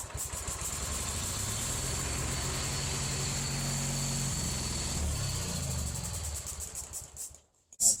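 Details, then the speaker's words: 1985 Ford YT 16 tractor after carburetor cleaning, with the fuel pump not working and almost no gas. The twin catches, runs unevenly for a few seconds with wandering speed, then dies. The engine stalls from fuel starvation. "i can show you right now unfortunately it's a little bit tricky when you don't have any gas but it can't run for two seconds but it does move"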